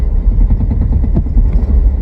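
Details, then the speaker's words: 2000 Chevy S10 first start after sitting, fresh battery and oil change, low fuel, service engine soon light on: low, lumpy idle with uneven thumps and dropped beats, engine jumping; bad misfire, cause not yet found. "ready to crank oh oh you hear that holy [ __ ] it runs a bit rough oh it's a bit rough"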